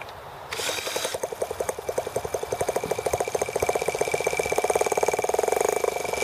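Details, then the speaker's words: Tractor-engine kit T26 in 3 °F (-13 °C) cold after valve job, rocker arm and carb adjustments: quick uneven popping that never catches, coughing and sputtering; sounds very flooded, carb freezes up once it tries to run on its own. "that sounds very flooded"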